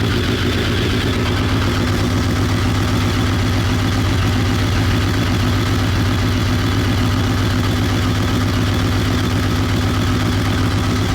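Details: BMW K1200 R after reset on diagnostic machine and throttle cable check, warm at just over 100 degrees with fan on: steady even idle, smooth low hum, no misses; slight clutch rattle noted; normal idle.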